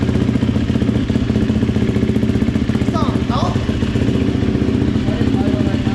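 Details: GasGas dirt bike, first start after top-end rebuild, before air filter fitted: loud, fast, even firing held steady for several seconds, no knocks or misses; normal running.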